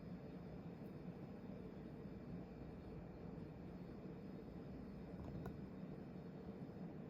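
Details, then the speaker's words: Vintage 1994 Hunter Legacy 52-inch ceiling fan running on high: steady whooshing rush of loud blade wind, like a helicopter, with no rubbing, clicking or wobble; normal healthy running. "now I don't know if you guys can hear it but there's some pretty loud wind noise"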